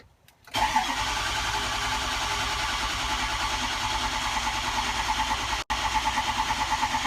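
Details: Ford 6.0 Powerstroke diesel after head gasket install with cab on, head studs torqued to 75 ft-lb: short crank, quick catch, then an even, steady idle with regular pulses and no knocks or misses; healthy start.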